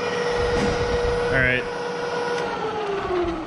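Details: Bridgeport Series 1 2HP variable-speed J-head after tear-down and repair of its long-worsening noise: smooth, steady hum with a light even whine and no knock, squeal or rattle. Quieter than ever, barely audible at 600 rpm. Normal running.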